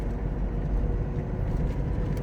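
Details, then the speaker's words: Suzuki Caribian on four mud-terrain tyres, towed behind a pickup at about 75–80 km/h: steady, heavy low drone with no beat or knock; loud tread hum, clear from 50 km/h up. "ฟังเสียงนะม.คมีเสียงที่ได้ยินนี่คือเสียงยางตะขาบนะครับที่ใส่อยู่ในรถซูซูกิคาริเบียนนะค่ะวันนี้ก็คือ1ข้อเสียนะครับของยางตะขาบนะที่มันมีเสียงที่ค่อนข้างดัง"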